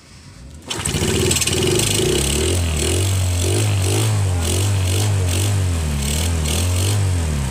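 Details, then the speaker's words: Yamaha Jupiter Z dead for a year, revived after days of checking ignition, fuel, engine and air and an oil change to 0.8 L; after several failed tries the starter catches and it fires into a steady, even idle, running again. "Motornya hidup lagi guys. Ini yang sudah 1 tahun mati, sudah saya perbaiki berhari-hari ini."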